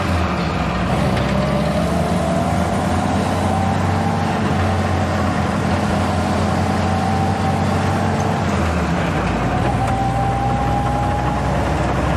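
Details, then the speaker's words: Jeep on its rebuilt original Carter WO carburetor: low, lumpy idle that sags and nearly dies near the end; owner thinks idle speed needs raising a hair. "Ooh, we're almost dying. Sounds like I might have to bring the idle up just a hair."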